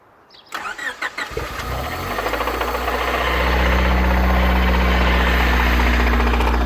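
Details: 1993 Honda Civic EG8 with D16Y1 VTEC swap, oil pressure light flickered then stayed on after ticking began, oil changed to 5W30: starts after brief crank, steady knock about four per second at idle; rod knock suspected, not confirmed.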